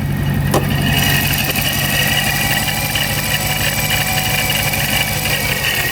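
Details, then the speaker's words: Fully warmed Procharger-supercharged Scat Pack V8 idling, with a loud, gritty, grindy mechanical whir from the supercharger over the engine; owner unsure whether it sounded like this before, cause unclear. "I don't know if it's me but the supercharger just sounds different like uh more grindy like I don't remember it like this"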